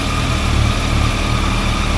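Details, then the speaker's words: Cold motorcycle triple with stock exhaust idling: a loose, uneven low rattle rides on the firing pulses. It is typical clutch basket rattle, nothing more serious, and is said to grow louder when warm. "aí o mesmíssimo barulho só que esse proprietário se incomodou com isso esse aqui não se incomodou"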